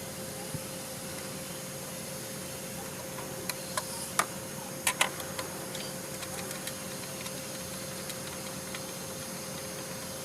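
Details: GMC Tahoe engine: steady hum with sharp scattered top-end ticks, diagnosed as valve lifter noise, with engine sludge cited as cause.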